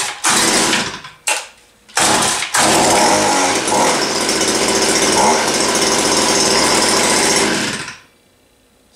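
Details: Stihl HS-81R-style hedge trimmer built from a Farmertec aftermarket engine and cutter bar kit, on a cold start: a couple of pulls, then it catches and holds a steady, crisp two-stroke buzz without stumbling before shutting off. A healthy small engine.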